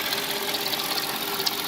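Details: Mercedes ML430 with the M112 V8: a fast, steady metallic rattle over the idle, heard loudest by stethoscope near the secondary air pump at the front of the engine. It was confirmed as the timing chain, which was replaced along with most front-end parts.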